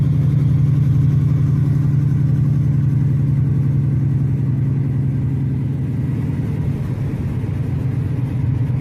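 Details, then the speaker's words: V8 car driving in third gear with the heater on, running badly: a deep rumble with an uneven, stumbling beat and dropouts; the driver hears a plug not firing, a misfire cutting in and out. "Yeah, it's definitely got some uh plug that's not firing. Yeah, I can hear kicking in. Misfiring is what it's doing. It ain't firing continuously."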